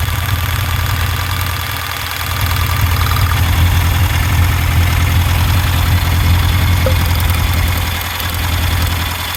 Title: Misfire on cylinder 4